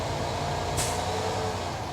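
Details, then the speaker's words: Diesel truck building air to 120–140 psi, revved to about 1500 rpm during a CDL air brake test: steady engine, then a short sharp hiss. Normal air dryer purge ("sneeze") at cut-out, air tanks full. "And that was a sneeze right there, saying that the air tanks are full."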